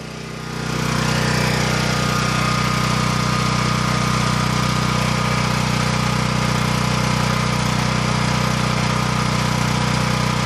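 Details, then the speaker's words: Champion 9000-watt dual-fuel generator with a 439cc single-cylinder engine, about three minutes after starting. A 1250-watt heater load on low is switched on, and the engine holds a steady drone with no surging. "we're going to turn on a heat load that thing barely noticed that that's twelve hundred and fifty watts on low"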